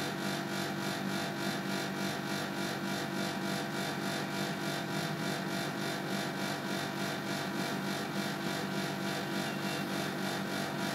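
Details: Panasonic CU outdoor unit: a rhythmic whooshing pulse about 3.5 times a second over a steady hum. The abnormal noise occurred twice in November 2010, each time stopping after about 10-15 minutes; cause unknown.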